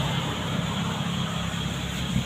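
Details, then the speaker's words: CNG (gas-fuelled) car after tuning of the gas setup: steady, low, even engine hum at idle with no misses, ticks or hunting; normal low idle. "Oke, putaran mesin rendah saat idle itu bagus."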